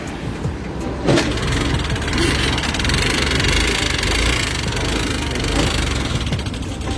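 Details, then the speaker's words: Honda Activa 6G BS6 scooter, 24,000 km, previously run without oil, kick-started since the starter is dead: rough, clattery mechanical racket from valve damage. "इसमें problem यह है कि बिना oil के यह गाड़ी चल चुकी है। यह इसका किलोमीटर 24,000 है।"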